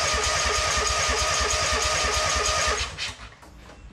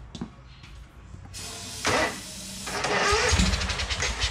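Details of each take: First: 2003 Wright Stander mower, 23 hp Kawasaki engine, cranking to check fuel reaching the filter; none did. Even starter cranking about three beats a second, never firing: crank, no start from no fuel delivery. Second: 2003 Wright Stander fixed-deck mower, 23 hp Kawasaki V-twin, fuelled makeshift into the carburetor due to a fuel-tank grommet leak: a few cranking bursts, then catches and settles into a strong, steady beat; normal running, nothing wrong with the motor.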